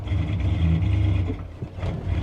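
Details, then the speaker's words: 1990 Ford F-150 XLT after tune-up work, on a test drive: engine pulls, then sags and falters briefly before recovering, running worse than before. Owner suspects air or fuel starvation, possibly injectors. Engine stumble and hesitation. "You hear it? It's like it's starving for air now, or fuel, which doesn't make a whole lot of sense."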